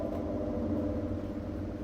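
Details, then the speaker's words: Maytag washing machine in drain and spin test, door locked: a low even motor hum and steady churn with no knocks or grinding; motor, clutch and drain pump are fine, and the fault is a defective cold-water inlet valve. "now again door lock now you can see now it came spin option Now drain motor start already you can hear the"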